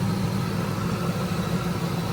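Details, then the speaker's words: Ford SVT Lightning V8 with a ported supercharger and repaired vacuum lines, idling about five minutes and still cold: a steady, even rumble with intake suction and no grinding or whine from the blower. "there's no noise coming from the blower so I was worried about that"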